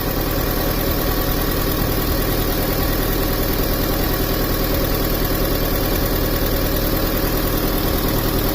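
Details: 2003 Honda Civic 1.7L with loss of power and no codes, exhaust back pressure now reading zero: smooth even idle, steady low hum, no knocks, ticks or puffing. Normal idle.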